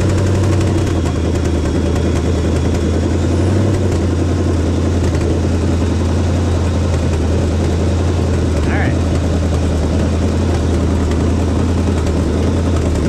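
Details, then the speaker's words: 1976 AMC Gremlin, AMC 360 (5.9L) V8, after correcting over-advanced timing (about 25–30°) to about 12° BTDC. A deep, even V8 burble holds a settled idle with no misses or stumbles. Normal idle. "it sounds way better it was really Advanced that's probably close to like 25 30 or something like that it's about 12 now so so that fixed a lot of that that that's idle like a lot better now"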